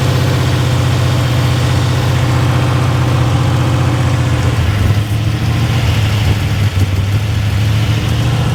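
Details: Monte Carlo SS (G-body) on E85 with newly installed carburetor, cold rainy ~40°F day: fast even drone idling around 2,000 rpm, no hunting, too high; idle screws backed out, air suspected via vacuum leak or throttle holes, unconfirmed.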